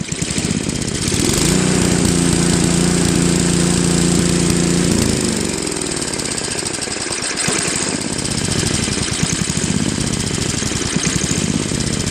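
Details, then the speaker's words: Craftsman 2 Trac-Drive snowblower, Tecumseh Snow King 5.5 hp 195 cc, gummed carb cleaned, idle screws being adjusted; single-cylinder chatter at low idle rising and falling in slow waves about once a second, engine still hunting slightly at idle. "so that's pretty good but it's still kind of searching a little at low idle"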